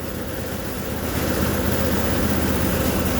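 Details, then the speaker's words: Dr Chipper wood chipper with an 18hp Briggs & Stratton Vanguard V-twin, throttle on, after a no-start fixed by replacing the clogged fuel filter: steady, even drone with a firm regular beat, no misses or surging; running cleanly. "now that's what it was it was that filter we're not letting fuel through there a new fuel filter did it"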